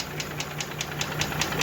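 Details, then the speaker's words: Mercedes G-class with M104 3.2 engine (220 hp) after oil change: sharp even tick about five times a second over rough idle; melted catalyst, cylinder 1 low compression with burnt piston found by endoscope, knock cause not yet confirmed. Engine knock at idle. "Так ну и вот буду поменяли масло и что-то застучала в двигателе Сейчас я покажу все услышите"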